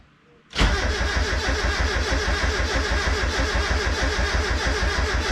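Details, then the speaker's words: Turbo Mazda Miata first start after a clutch and flywheel job. Strong, steady cranking at about three beats a second that never catches. Crank no start. "All right, so it turns out that I had the fuel lines crossed. I had the return and the feed and the feed and the return, so it was just pushing against the diaphragm on the fuel pressure regulator."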